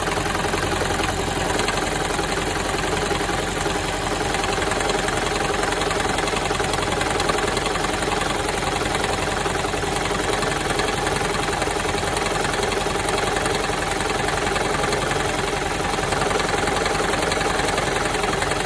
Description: This is Toyota Prius 2007 and all cylinder misfires and this sound is resolved by cleaning fuel injectors.